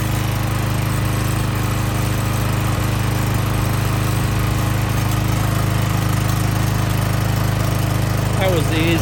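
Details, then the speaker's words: Power washer small engine after repairing a broken governor that caused surging and an out-of-time camshaft likely behind the no-start; now starts easily and runs steady and even at constant speed, no surging or hunting. "it's ever been to start since we've had it and it runs good now"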